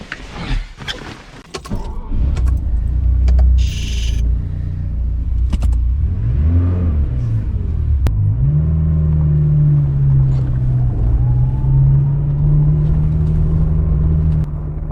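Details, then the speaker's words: Ferrari running for the first time in over two years after three weeks of work: deep steady rumble with a small rev rise after some initial rattling, settling evenly and sounding good. "God that sounds so good it just sounds so good"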